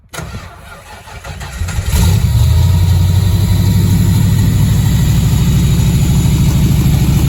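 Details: Factory Five MK3 Cobra replica, 302 Ford V8 with GT40P heads and Holley Sniper EFI and ignition, after 7-8 weeks winter storage at 38°F: electric fuel pump hums about two seconds, then engine catches and settles to steady, even idle; normal cold start.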